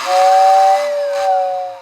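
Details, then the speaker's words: 1955 Lionel Berkshire #736 locomotive, first power-up before tear-down, which won't run: clear steady high whistle with soft hiss for about a second and a half, fading evenly; whistle works normally. "that really gets it. Good. We don't got to fix the whistler."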